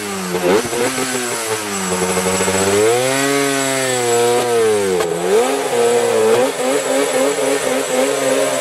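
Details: Yamaha Banshee two-stroke that sat seven years, after cleaning the carburetors and fuel line: crisp buzz revving up and down smoothly and holding a steady high idle, no stumbling or cutting out. Runs clean.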